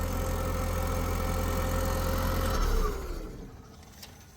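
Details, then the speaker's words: MK1 Audi TT turbo petrol after a cracked coil pack and hacked wiring were found. Started, it settles to a steady, even idle with no misfire, then is switched off and runs down. The earlier misfire is not currently present. "So quite a weird one because it's now not misfiring."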